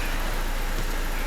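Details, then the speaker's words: BMW E87 with N45B16 engine after yet another VANOS replacement to cure a knock. Idle is even and smooth with a soft hum and no knocking, and the injectors are now audible. It is not yet warm, and the owner is unsure the knock won't return once hot. "Я слышу работу топливных форсунок. Я слышу работу топливных форсунок. Раньше я их не слышал ."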